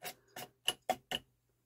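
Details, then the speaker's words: Denon UD-M50 CD changer: five quick clicking, whirring bursts as the mechanism tries to start, but the loaded disc never spins up, after cleaning rails and laser. "sounds like it wants to spin but you can hear the mechanism making noise"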